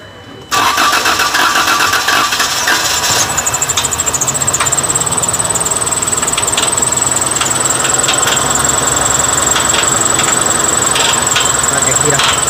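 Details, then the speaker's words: Engine fires up and a fast metallic rattle clatters over the idle and persists: timing chain rattle, the tensioner found not holding pressure. "porque tenemos un problema con el sonido de la cadena de este motor"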